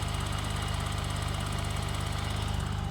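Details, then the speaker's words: 1985 BMW 635CSi E24 after 12 years sitting, just revived by a crank sensor fix: steady, even idle with a smooth low thrum, no misses or knocks. Runs cleanly. Normal idle. "I'm actually amazed right now at how nice this car runs 10 years and it runs like a"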